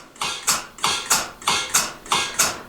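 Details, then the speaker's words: Surge belly milker: after milking the ball valve is turned off, and the pulsator's sharp hissing clicks, about three a second in an even alternating beat, slow down as the vacuum drops. "When we're done milking now, what we do is we just go over, turn our ball valve. You hear it slowing down."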